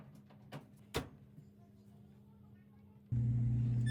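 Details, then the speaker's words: Samsung dryer, brand-new scratch-and-dent unit, after repair of a grinding noise and reassembly: after a quiet pause the motor comes on with an even low hum and no scraping or grinding; running normally. "And pretty soon you'll hear the sound of the dryer. It's nice and quiet."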